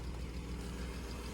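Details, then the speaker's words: 1995 BMW M3 inline-six idling cold: steady low rumble with a faint light tick, suspected lifter tick that may unstick with use; exhaust leak also noted at the manifold. "Yeah, definitely a little bit of a tick, lifter tick, is what it sounds like to me."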